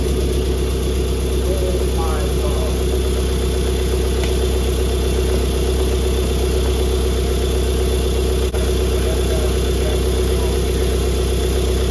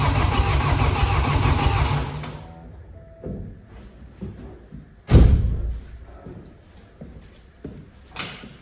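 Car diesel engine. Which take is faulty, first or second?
second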